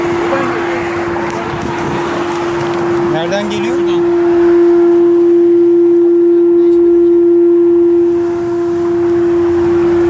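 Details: Renault Kadjar 1.5 EDC with R-Link 2.0: loud steady buzzing drone from the rear speakers that continues with the engine stopped. A multimedia unit glitch, cleared by a long-press restart of the unit.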